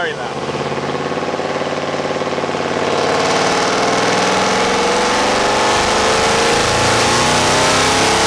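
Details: Procharged Chevy SS on a stock automatic at about 50, even rising revs with a deep low-rpm exhaust drone that sounds like breakup; it's only the mufflers' tone, no misfire: normal exhaust drone.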